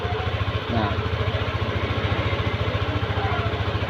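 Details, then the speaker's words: Yamaha Aerox scooter with a broken blue wire behind error codes 12 and 61: a steady, even putter at about 1600 rpm idle with no misses, wheel not turning; idle normal, zero fault codes. "Dan kita bisa mengontrol kecepatan mesin di sini pada 1600. Itu dianggap normal, 1600 atau"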